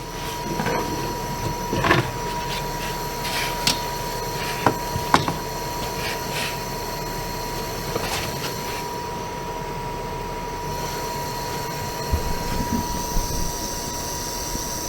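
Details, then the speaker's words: RV power converter, cover on: steady thin whine near 1 kHz over a soft airy hum with light clicks; converter fan suspected, running only under the extra load when the furnace is on and stopping when it goes off. "that noise you're hearing is the furnace of course the fan only comes on on this when it's uh under a little bit more of a load when the furnace goes off the load goes away and the fan goes off so does the noise"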